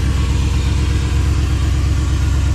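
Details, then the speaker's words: 1997 GMC half-ton, 5.7 V8, automatic; owner says it falls on its face under throttle. Deep idle with an uneven, loping beat and a stumble in the rhythm. Misfire from a disconnected spark plug wire. "Sounds like to me it just needs a little bit of a tune-up, so it's kind of got a little bit of a rough idle"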